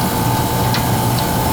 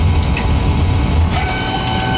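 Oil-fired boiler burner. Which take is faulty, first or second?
second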